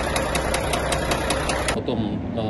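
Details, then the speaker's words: Volvo FH460 truck, 2014, D13C diesel, 1.4 million km: sharp, heavy metallic knocks about five per second over the idle, then they cut out as the engine stalls and seizes, starter no longer turning it; rod knock. "А 460. у него застучал двигатель."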